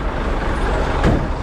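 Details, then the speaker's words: Truck pulling a loaded Landoll trailer while driving: a heavy, deep rumble with a strong low drone, far louder than stock. The exhaust is straight-piped with no muffler. "well we're straight fighting that is why we are so freaking loud"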